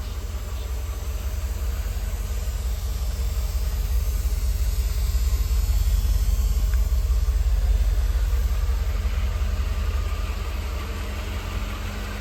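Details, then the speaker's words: 1988 Mercedes-Benz 560 SL V8, 51,705 miles, just after a cold start on a warm evening in the 80s. Deep, even rumble with a steady unhurried pulse, no misses or knocks; normal smooth idle. "She's already into a smooth idle, considering it is still in the 80s, even though we are getting close to sundown."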